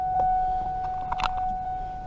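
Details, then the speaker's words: 2000 Mustang GT power window previously fixed after it would not come back up: a steady electric whine with clicks and a strain. The motor labours and stalls partway up, needing another push to continue. "so this goes down and it used to not come back at all so I fixed it but then it gets to here so you push it a little bit and it goes up"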